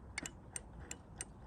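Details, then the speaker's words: Land Rover Freelander 1 rear door: squeezing the handle gives faint crisp "dink" microswitch clicks but the door won't open and the window doesn't lower; handle microswitch has failed or become too resistive, fixed by replacing the microswitch. "tiny little dinky noise dink dink then that shows that the handle is pushing on the mic switch but the mic switch isn't activating being recognized not lowering the window that means the micros switch has uh failed or it's got two resistive"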